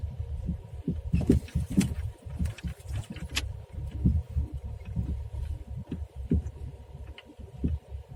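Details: Skoda Rapid, worn front left shock absorber, driving in first gear over an uneven road: dull, uneven thuds from the front corner on bumps, while small potholes make no sound; the shock is no longer damping.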